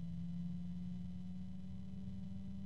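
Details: Antec P12 120 PWM PC fan at low speed near its starting voltage: a steady low hum holding one pitch under a soft airflow rush; noticeable tonal drone.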